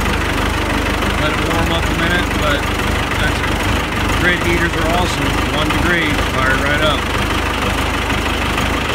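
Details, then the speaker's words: Cummins 4BT P-pump diesel in Scout, cold start at 1°F after 15 seconds of grid heaters: starts easily with little smoke, even steady clatter with no misses; normal diesel cold idle. "Let's see if it starts. There we go. Easy way to start. Not too much smoke."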